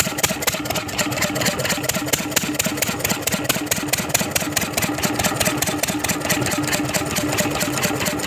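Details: 10 hp Lister diesel engine after freeing rusted, stuck valves that caused no compression and no start: even steady slow thump with no misses or knocking, now idling healthy.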